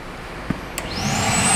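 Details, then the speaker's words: New secondary air injection pump tested with the scan tool reading 13.92 psi barometric inlet pressure (2.5 V) before switching on: a click, then a high whine climbing quickly and holding steady; the pump turns on, normal secondary air pump operation. "Yep, it turns on. I can hear it. And if I had that valve hooked up to the hose, this hose here, I had it hooked up to this hose, we would hear it blowing or we would see it on scandal. We'd see it makes about 6 psi."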